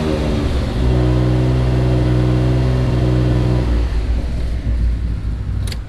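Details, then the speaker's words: Mitsubishi 3000GT VR4 built engine, alternator removed, running slightly lean: steady drone at 2,500 rpm then let down, no whine or hum; hum absent, so a front pulley is suspected, water pump suspected of squeak. "okay well it's not humming i don't know why it's leaning out it must not be getting enough power to the injectors without the alternator hooked up so one of these pulleys is what's humming at 2500 rpm"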